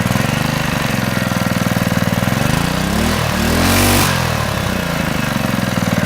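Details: Honda GX120 reassembled after head removal, one bolt left over, started first pull: steady, even running with a brief throttle blip midway, no clear knock; normal running, owner notes a slight exhaust valve flutter.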